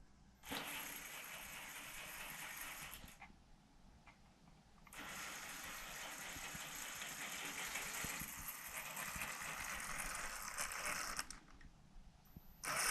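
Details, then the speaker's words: Gen1 Axial 6x6 RC tow rig after drivetrain repairs, running on 14-tooth pinion (owner thinks maybe too high, may drop to 13 or 11); smooth, even electric whir under power with no clicks or crunching, drivetrain running smoothly. "man this baby moves all right she's running smooth she might be ready for the trail"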